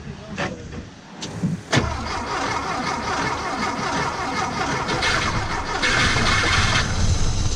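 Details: 1973 Porsche 914, sitting 3 years, fresh gas added: steady cranking of about three beats a second that never catches; the fuel pump fires only for a split second when switched to run, then stops.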